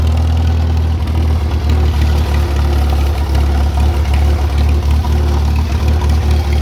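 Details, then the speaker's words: Tractor engine that wouldn't start, running after ignition points found with almost no gap were set to 0.013 in: steady even idle thump with no misses or knocks, fires right up on repeated starts. "I've I've started it four or five times now yesterday fires right up"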